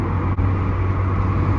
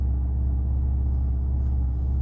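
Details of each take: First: Alfa GTV running very hot, logged with laptop: deep steady drone with a sharp momentary dropout, misfiring badly before dying. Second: Alfa GTV after in-tank fuel pump swap and DIY pump assembly rebuild: deep, steady engine rumble with no ticks, knocks or whine; new pump much quieter, hardly heard priming. Normal running after repair.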